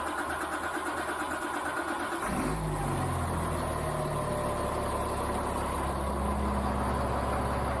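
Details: Caterpillar-swapped Ford F350 diesel, hot-wired without a key, restarted to check transmission fluid: brief cranking, catches at about two seconds, then steady even diesel idle with no knocks; normal start.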